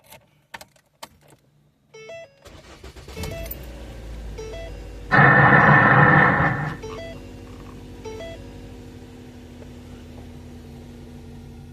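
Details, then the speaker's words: 2008–12 Ford Escape/Focus/Tribute/Mariner after replacing the ignition switch housing to cure a no-crank, no-start fault. Key clicks and chimes, a brief crank, then it catches quickly and settles into a steady idle: fixed, starts easily. "Look how easy it starts. So, like I say, we fixed it."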